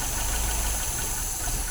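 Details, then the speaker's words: 1980 MGB twin SU carbs, piston lifted with the plunger during a mixture check. The idle sags and stumbles instead of rising, indicating a lean mixture; that carb is to be richened slightly. "Now, because that stumbled like that, that means the engine is too lean, okay? So what we need to do is we need to just richen that up ever so slightly."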